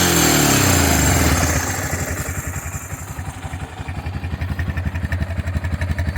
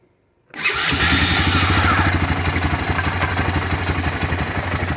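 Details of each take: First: Honda FourTrax 300 ATV, fuel-injection swap with smaller injector, rebuilt fuel system after long storage: single fires with a revving burst, then even thumping idle about four beats a second; stock NGK DPR7EA plug suggests still slightly rich, owner unsure. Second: Honda FourTrax 300 ATV, fuel-injection swap with smaller injector, rebuilt fuel system (cleaned pump and regulator, new filter) after long storage: silence, then the single catches instantly and settles into a steady, even idle of about four beats a second; starts cleanly.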